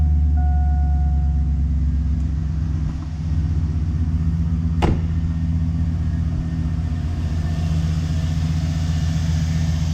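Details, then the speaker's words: 2002 Chevy 2500 HD 6.0 L Vortec V8 after replacing a growling alternator with bad bearing: steady low, even idle rumble with no belt squeal or chirp; runs smoothly, normal idle. "sounds a lot better. It looks good. Belt's doing good."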